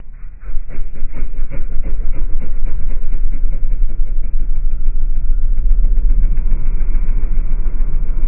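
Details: SN95 Mustang V6 in a slow-motion recording: deep, muffled rumble with a steady, regular knock. Rod knock is suspected, not confirmed.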